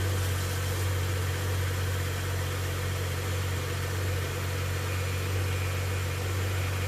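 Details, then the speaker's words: 2011 BMW 335i E90 sedan, N55 engine, after DIY replacement of accessory belts and pulleys with OEM kit: steady low idle with no squeal or chirp; earlier noise gone, accessory drive healthy. "success everything works the engine did not explode"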